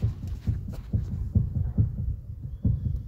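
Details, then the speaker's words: Toyota Corolla front suspension noise: dull, uneven low knocks, recorded from inside the car, traced to a worn inner tie rod joint (steering rack articulation) that clunks when moved by hand. "Então essa peça aqui esse pedaço de peça aqui que é articulação da caixa de direção tá"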